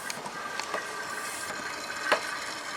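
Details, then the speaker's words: Oil extractor pump drawing engine oil, reaching the bottom: gurgling straw-like slurps with irregular spits over a steady hiss, like a milkshake straw; sump is empty. "That noise obviously is like the milkshake with a straw noise when you get to the bottom."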